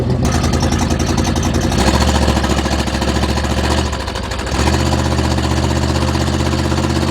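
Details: 1976 GMC Vandura 3500 RV motorhome after some work, warming up; uneven lumpy idle with a brief sag where it stumbles then catches; still dropping occasionally, running rough, sputters and bogs under load; cause unclear.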